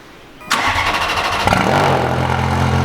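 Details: First cold start after a new exhaust install: quiet, then the starter catches and the engine fires at half a second. It settles into a steady, even idle with no ticking, exhaust rattles or check engine lights, a healthy start.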